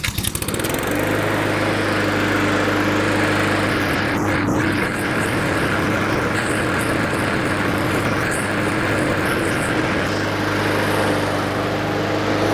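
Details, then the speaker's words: Honda 21-inch walk-behind self-propel mower that had been starting, running about 30 seconds, then popping and dying; test run outside after repair (NGK BPR5ES plug listed among parts) holds a steady, even single-cylinder buzz with no misses or surging, so the stall appears resolved. "I'll go into the shop, I'll do some other work while letting this run, just to make absolutely sure that it's resolved. And so far, it looks like everything's good."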